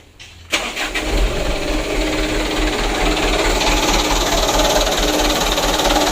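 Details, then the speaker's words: Mitsubishi Canter 125 PS Super Speed diesel truck with a completely new injection pump, after loosening the governor spring nut and adjusting the lower throttle-shaft bolt: a brief crank, then catches straight away into a steady, even idle without throttle; easy start now fixed. "Untuk hidupnya sudah mudah lor, tanpa digas ya. Alhamdulillah."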